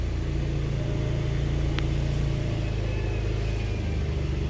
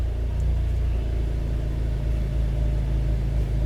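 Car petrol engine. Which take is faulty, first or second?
second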